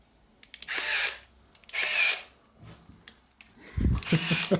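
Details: Zenit KM Plus camera in new condition, empty of film while it tries to load: loud whirring bursts about a second long, each followed by a mechanical snap. Normal motor-driven shutter and film advance, just very noisy.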